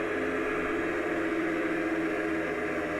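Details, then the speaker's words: Small backup DC water pump on a rainwater filtration system in service over a decade, running under load after air bled, current climbing from 3.6 to about 4.7 A as pressure builds; steady, even motor hum rising slightly in pitch, tank hissing, pump body cool; normal operation. "It's moving some kind of water. I can hear the tank hissing. 3.8. The pump itself feels cool."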